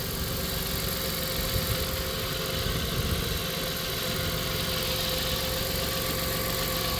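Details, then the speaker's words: 1997 Dodge Caravan LE petrol V6 idling after replacing rod and main bearings and reinstalling plug wires: steady, even, smooth hum with no knocking or ticking, normal idle. "no noise sounds good idle and smooth too is that something runs as good as can be"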